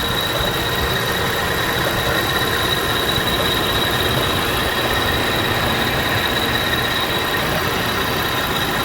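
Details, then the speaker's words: 2001 Toyota Avalon at 366,000 miles, hood open: even, steady idle with no knocks, misses or squeals, only a faint constant accessory whine; high-mileage engine running well, normal idle. "And listen to how good she runs. Don't be afraid of a high mileage one."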